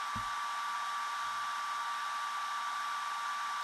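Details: iSDT Q6 Pro smart LiPo charger (300 W, up to 6S) discharging a small pack at about 0.7 A, burning energy as heat: constant airy whoosh from the small cooling fan at steady speed, no rattle or squeal; fan working normally.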